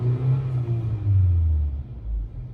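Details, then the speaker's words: Honda Civic (model uncertain) revved slowly to 4000 rpm, then released: low rumble with revs sagging unevenly and stumbling as if about to stall; misfire. "नीचे गिराए गाड़ी ऐसे missing करने की कोशिश करती है। और मिसिंग करने के बाद गाड़ी ऐसे करती है जैसे बंद हो जाएगी।"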